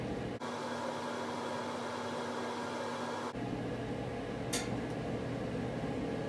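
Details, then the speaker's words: Whirlpool Estate EGD4400WQ0 gas dryer whose idler pulley fell out, reassembled and checked for gas leaks; started, with the gas and heat due to come on after about a minute: even motor hum and airflow, drum runs smoothly; normal running. "you can hear it starting up after about a minute it will uh fire up and the gas will turn on and the heat will start"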